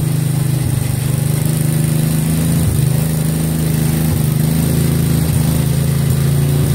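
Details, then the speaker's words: 1963 MTD Lawn Flite lawn tractor after ignition rebuild, driving and mowing: loud, steady flat drone at high constant speed, no dips under load; overspeeding, throttle and governor not right. "the throttle and the governor aren't quite right it started to run in a bit too fast"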